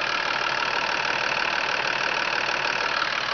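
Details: 2005 Freightliner M2 106 Business Class Expeditor diesel, hood open: steady, even clatter at idle with a regular beat and no misses or knocks; no blow-by at the dipstick tube. Normal diesel idle.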